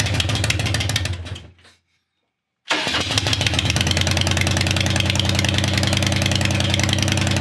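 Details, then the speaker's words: 1996 Harley Heritage Softail Nostalgia Evo V-twin, roughly 20,000 miles, sat for years, just revived: briefly cuts out, refires, then settles into a steady even loping cold idle, normal. "well still cold foreign all right y'all well thanks for sticking with us getting this old Evo bike running that's been sitting for a long time"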